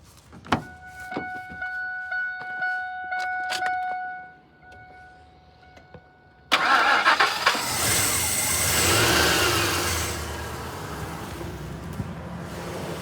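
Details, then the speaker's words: 1999 Ford F-250 XL with a 4.6L V8, true mileage unknown, idle for years, with fuel poured into the intake because of a suspected bad fuel pump: after a few chimes it starts and runs evenly with no knocks or misses; the engine sounds healthy. "I'm going to hit the key there. See if it starts up so you could hear the engine. The engine sounds good."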